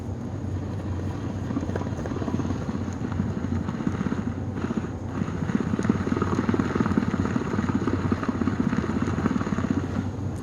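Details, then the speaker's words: 1997 Rainbow D4C SE canister vacuum motor, bench pre-test after bearing rebuild before refitting in shell: steady high-speed whir with a fine quick ticking throughout, caused by one failed new bearing. "Well, I got the motor together, and before I put the entire motor back into the shell, I went and did some pre-testing. And I ended up hearing a tick."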